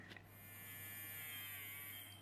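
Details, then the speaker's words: Electric toy train motor after oiling its stiff, dirty bearing: even, steady buzz with constant high whine, no scraping or hesitation; normal running after lubrication, split gear still unresolved. "that sounds a lot happier so we've lubricated the motor"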